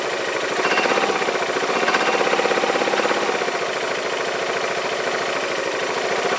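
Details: Yamaha Majesty scooter idling on the lift with the parking brake on: an uneven metallic clank about three times a second over a steady idle. The owner suspects the CVT clutch area and is unsure whether it is normal; cause unconfirmed.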